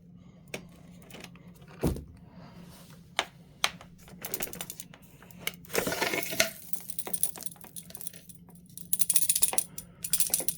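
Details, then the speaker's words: Vacuum gives irregular sharp clicks and rattles over a faint motor hum, like a loose object bouncing in the airflow. Something is suspected lodged in the wand but not confirmed. "sounds like there's something lodged in the wand not sure what that's all about"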